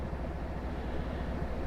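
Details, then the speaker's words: Truck idling during routine maintenance check, briefly revved and returned: low smooth even idle, not vibrating, spitting or skipping; normal idle. "Everything seems fine, it's running smooth, it's not vibrating, it's not spitting or skipping,"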